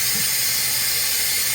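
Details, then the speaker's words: Truck air brake system with the air governor constantly cycling: constant sharp high hiss with no rhythm and no engine underneath. Air leak from a hose cracked on its end; fixed by cutting off the end and reinserting. "I found that this hose was actually cracked on the end."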